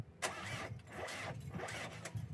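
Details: Renault 19 diesel with 417k miles, just after a replacement starter motor was fitted: sharp clean engagement, brief crank, then the engine catches and runs, with no crashing or grinding from the starter; normal cranking and start.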